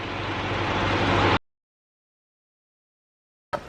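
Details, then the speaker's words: Dennis SS fire engine after its batteries were swapped, starting fine: a steady, full engine note building evenly under light throttle with no misses or knocks; normal running. "Uh and as you can hear, he's running now."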